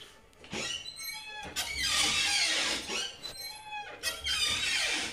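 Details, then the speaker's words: Loud, high squeal rising and wavering in drawn-out bursts as a house door swings, from a dry, unlubricated hinge; rust-preventive spray or WD-40 is the fix shown; squeaky door hinge. "Kuat gila kan? Kadang-kadang kita nak keluar tu nak keluar tak senyap pun anak perasan."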